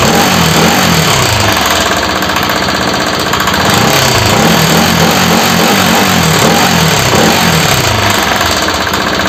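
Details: Bajaj RS200 with an engine noise problem: single-cylinder ticking over with an uneven mechanical clatter about three times a second; something noisy inside, cause unclear.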